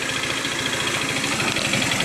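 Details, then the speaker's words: Scooter with valve clearance set to spec: steady rapid tapping knock over the idle at engine speed; persists with variator belt and rollers removed, owner says it is not the valves, and it disappears above 50 km/h; source not found. "короче вот такая обида во мне на скутере непонятный стук клапана я настроил все по госту зазор так положено но вот этот стук меня уже одолел"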